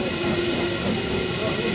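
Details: Stanley steam car burner running on petrol once vaporizer is hot and flame clear: steady, even hissing roar with no sputter or popping; burner lit and burning hot and clean.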